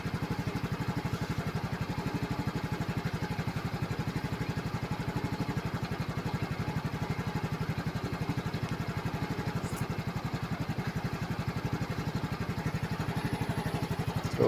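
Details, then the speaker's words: Flood-damaged Yamaha scooter after running until the carburetor and engine were warm and the water cleared: a steady, even putt-putt idle with no misses. It still needs an oil and gear-oil change after water entry. "okay na to. Wala ng tubig. Wala na. Mainit na karburador."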